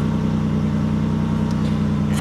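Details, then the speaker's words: 2006–2013 Chevy Impala (2007) after replacing driver side heat door actuator, car on with heat switched on driver side; steady engine idle, no repeating dash clicks: quiet heat door actuator working. "no noise baby that's what I'm talking about"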